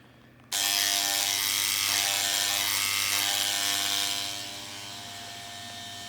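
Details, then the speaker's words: Antenna rotator, given to the owner and unused for over 10 years, just powered up: it tries to turn the other way, and a buzzing hum holds one pitch with no movement; the motor is straining but not turning. "See, I'm trying to turn it one way. If I try the other way, you can hear it trying, but"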